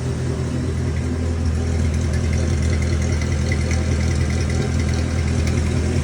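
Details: Austin 7 engine, not run since 2007 and freed from seizure, first start after adding petrol and water: low, steady chugging idle with an even beat and no knocks or rattles. Normal, healthy idle.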